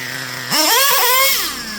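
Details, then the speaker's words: Traxxas Revo 3.3 nitro engine, high-speed needle leaned one full turn: revs shoot up almost instantly with a thin rising scream, shift barely audible, very snappy; running too lean on the high-speed needle. "Like you almost can't even hear it shift. It's revving up so quick. Like it's real snappy. So that's an example of, you can run it like that. I personally wouldn't. To me, that's just running pretty lean."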